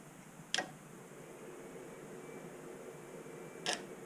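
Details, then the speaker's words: Mercedes OM603 diesel swapped into a Ford Ranger with ZF5 gearbox, before first start, glow plugs wired directly to power: two sharp isolated clicks about three seconds apart as the glow plug relay kicks in, battery charger bogging down; normal. "can hear the relay kick you can hear it bogg down the charger bogs down"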